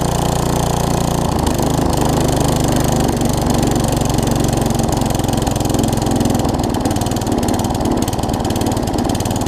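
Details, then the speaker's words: Tecumseh vertical-shaft engine on a weed trimmer after carburetor and kit replacement, running with no load: speed rises and sags unevenly instead of holding steady, a slight surge; at full throttle it runs fine. "and one thing i do want to mention you do hear it surge a little bit remember this doesn't have a load on it like a mower so it has to be almost perfect in order for it to not surge"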